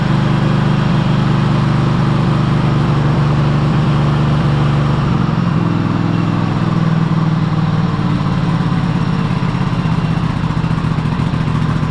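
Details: Cub Cadet Super LT1554 lawn tractor, 27 hp Kohler V-twin, 500+ hours, after head gasket replacement and new oil, fuel and air filters: lumpy irregular beat, wandering speed; runs poorly, owner guesses carburetor needs cleaning.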